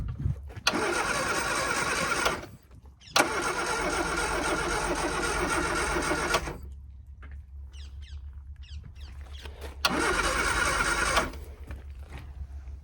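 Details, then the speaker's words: Classic Mini Scamp, long unrun, on a weak jump pack, choke cable come out, fuel added by hand: repeated brisk cranking bursts with pauses, no cylinder firing; cranks but won't start despite good spark, fuel possibly drained. "all right seem to have good Sparks just trying to Chuck a bit fuel in CU I think the choke is not wiing on it"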